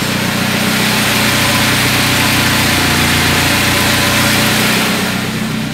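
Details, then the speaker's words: Carburetted car with LPG kit, running on petrol on a cold day, choke off, still warming up: steady, even idle with no misses or knocks; runs stably. "вот на бензине машина работает работает она стабильна у нас хорошо"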